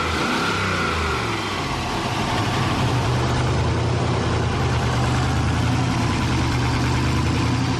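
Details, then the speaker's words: Turbo LS1 V8 in Mercedes AMG wagon, newly wired to Holley Terminator X Max, wrong injectors fitted: uneven lumpy idle with wavering beat and throttle blips, caused by disconnected vacuum line (MAP/blow-off valve) leak. "it's funny I had this disconnected massive vacuum leak let's fix that and see how it runs"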